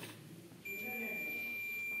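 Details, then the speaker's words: Microwave oven door protection switch tested with a multimeter on continuity. A clean, steady high beep lasting about 1.5 seconds shows the switch closes properly. "पहचानने का तरीका ये है कि इसको अपन दबाने पर क्या करता है, सप्लाई को कट ऑफ कर देता है, और इसको ऐसे रखते हैं, बिल्कुल ऐसे देखते हैं, तो क्या कंटिन्यूटी की आवाज देता है, ठीक"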